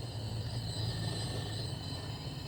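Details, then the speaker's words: 2010 Nissan Serena C25 MR20DE, P0300 misfire, cylinder leak-down test on cylinder 2: steady hiss and thin whistle of air escaping through dipstick/crankcase over compressor hum; leakage past worn piston rings, none into coolant. "Alright, so number 2, we're not getting no leaking through the water, but we're getting leakage through the rings, through the dipstick."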